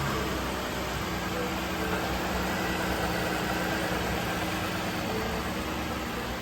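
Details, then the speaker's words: 2016 Ford Explorer 3.5 V6 at first start-up after water pump replacement, warming toward operating temperature, oil pressure up: steady, even idle hum with no rattle or tapping; engine running healthy. "Let it warm up to operating temperature. Look how nice that thing's idling."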